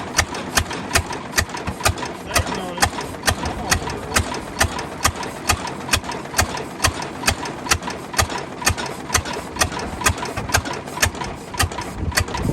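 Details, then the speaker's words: 1929 Ford Model A four-cylinder, abandoned 75+ years: sharp, fairly regular ticks about twice a second over a ragged idle slow to build revs; another exhaust valve is sticking. "she's a running though see once you get them kind of running she's starting to pick up on the RPM so I think she's going to do what she's supposed to do just going to take her some time man a really we got another exhaust valve sticking again it happens"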